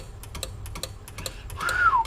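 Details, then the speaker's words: CB/ham tube amplifier, possibly for a Browning Golden Eagle Mark III setup, under repair after a burnt 100-ohm resistor: uneven sharp relay clicks several per second; owner suspects the antenna and radio connections are swapped or a poor connection. "it's got a chattering arena i wonder if those could actually be maybe they marked those backwards and always acts like it's hooked up backwards"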